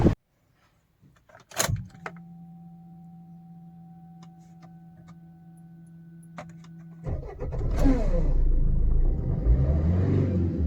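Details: Maruti Suzuki Swift/SX4 diesel, after fixing an immobilizer no-start: quiet key-on, crank and catch into a smooth, steady low diesel idle with no stumble; it starts normally.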